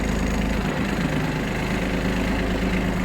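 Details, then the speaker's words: Kubota Aste A-13 mini tractor, 756 engine hours, gearbox in lowest range moving through first and second gear: steady, even low engine drone under light load, no knocking, grinding or whine; gearbox working normally. "Итак, сейчас мы проверим, как работает наша коробка передач на на пониженных скоростях."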